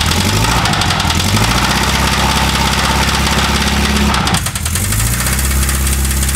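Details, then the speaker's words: 1200cc 40hp air-cooled VW flat-four, odometer 44k, first start on a 6-volt battery before a planned rebuild: idle with irregular uneven knocking over the exhaust beat; owner suspects rod knock, unconfirmed. "definitely sounds like a rod knock man I don't get it the odometer only reads 44k that seems a bit early for a rod knock"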